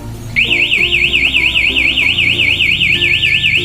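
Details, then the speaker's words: Aftermarket alarm installed on a Kawasaki Ninja 250 motorcycle: loud high siren warbling about four times a second, the longer alarm triggered by a second bump soon after the first, then it stops by itself. "untuk senggolan yang kedua dalam waktu yang berdekatan bunyinya akan lebih panjang ya seperti itu bunyinya lebih panjang kemudian sama dia akan mati sendiri"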